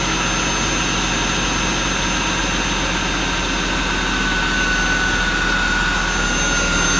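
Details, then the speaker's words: Jaguar XJ6 X300 non-supercharged engine, one-minute run after replacing both serpentine belts: even hum with a faint steady high whine from the belt drive, no squeal or slapping; new belts running fine. "Then we're going to start the engine. We're going to let it run for 1 minute."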